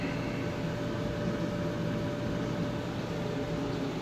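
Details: Maytag MED9700SQ0 HE dryer on a test run after repairing a screeching noise and reassembling: steady low rumble and hum, running smoothly with no squeal or screech.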